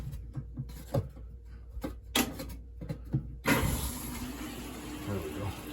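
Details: GE washing machine that would not drain, after drain pump cleaned and reassembled: a few light clicks, then from about three and a half seconds a steady hiss of water rushing in; inlet valve filling normally.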